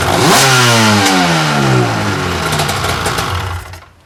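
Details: 1995 Lucore Watermotive PJS VHP7000 jet ski (hull #70), two-stroke with rear and front carbs, after reshimming and fuel work: crisp blips up high and drops back cleanly, pitch following throttle smoothly; healthy, responsive, snappy engine.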